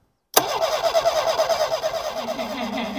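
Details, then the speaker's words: Homelite Stingray boat engine after ultrasonic carburetor cleaning and fuel system work: starter spins about three beats a second with no firing; fuel seen in line but pressure seems low, ignition suspected (distributor rotor, cap, capacitor). Crank no start. "give her a crank come on girl yeah it might not be well I don't think it's going to start today it doesn't sound like it wants to"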